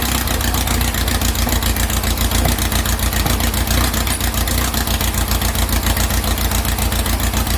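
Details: 2332cc "Dust Buggy" bug after carb cleaning and mixture-screw setting, which fixed an early rough, missing cold start. Warm air-cooled engine idles with a steady, even putter around three and a half beats a second, no misses: normal idle.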